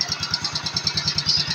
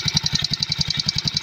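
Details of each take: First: Yamaha Mio Sporty scooter after bendix spring and one-way starter clutch repair, idling with a steady, even single-cylinder putter at about three beats a second, with the dragging gone; normal idle. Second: Mio Sporty scooter idling with a sharp, rapid tik-tik metallic ticking from a worn starter one-way clutch (bendix) that had lost a spring-pushed roller, making starting hard; part replaced.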